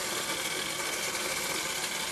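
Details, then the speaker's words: Bosch Serie 6 tumble dryer, drum turned by hand with the machine off: continuous harsh, hissy scraping from a wire or foreign object caught between drum and housing. "hey Leute heute haben ich hier einen boschrockner der ganz komische Geräusche macht ihr hört dieses Kratzen irgendwas scharf da an der Trommel oder am Lüfter"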